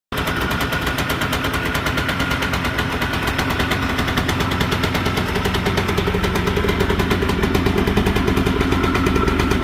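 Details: All-original 1992 Yamaha Blaster two-stroke single running with a rapid, sharp rattling knock on every revolution from a bad rod bearing.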